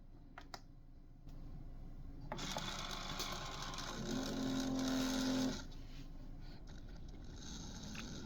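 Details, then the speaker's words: Keurig K-Mini Go after its control board was replaced to fix a no-power, high-pitched whining fault, in a brew test making a cup of coffee: steady pump buzz with a low hum, then a softer hiss as flow ends, working with no restrictions. "So, with this test, we proved that the unit functions with no restrictions."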